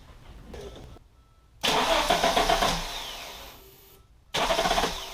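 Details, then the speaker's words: 1987 Audi 5000 CS Quattro turbo with CIS injection, after replacing the fuel injectors and spark plugs; catches cleanly, flares up and settles, same on a second start, without the former stuttering in the first 15 seconds; normal start. "i have to say this thing runs a lot smoother and when i turn it on it doesn't do that stuttering in that first 15 seconds"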